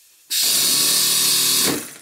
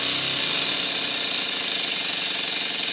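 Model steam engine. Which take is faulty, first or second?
second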